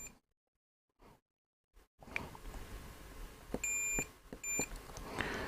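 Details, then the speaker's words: Sony ICF-SW100 radio repair, multimeter continuity test on SMD tactile switches: quiet room, then several short clean high beeps as each switch is pressed; these switches make contact fine, a previously faulty one seems to have sorted itself out. "I wonder if it's I wonder if it's some sorted itself out because it wasn't working I'm sure it was a yes hmm it does seem to be working now"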